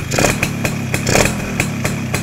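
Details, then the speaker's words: Yamaha SS two-stroke: short crisp throttle blips falling straight back to a steady crackling idle without hanging or hunting; carburetion properly set, engine smooth. "Dia punya smooth enjin dia memang mantap geng. Langsung tak ada bunyi dia terus jatuh dia terus jatuh"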